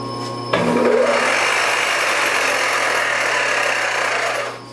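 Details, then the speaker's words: Supermax YCM-16VS milling machine (Bridgeport clone) running forward in low: fast, uneven knocking rattle of about four beats a second in the spindle drive; gearing or timing belt fault suspected, unconfirmed. "forward i don't understand why low is no go that's awful there's something not right there"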